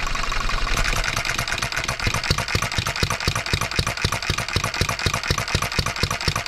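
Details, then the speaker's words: 1988 small single-cylinder engine after crankshaft straightening and rough valve timing: sharp even popping about four times a second with an odd skipped beat; runs but misses occasionally, fuel system to be cleaned and governor speed adjusted. "guys well hey I've taken up enough of your time at least we got to hear it Miss one time"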